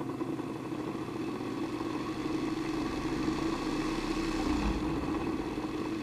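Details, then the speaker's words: Vintage electric motor, started through a current-limiting resistor with half bridged out: hum climbs then sags, the capacitor and main winding resonating and pulling it back, so it fails to reach full speed. "So you see it reaches a certain point and then it kind of magnetically pulls itself back down. That's the capacitor and the main winding are interacting and building up a resonance. It should get past that if it has a little more power."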